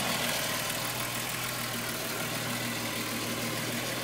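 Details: VW Golf VR6 2.9, 103,000 km, rough idle: busy, uneven metallic chatter about three per second. Chain-rub noise that grew louder after the upper hydraulic tensioner screw was replaced; cause unclear.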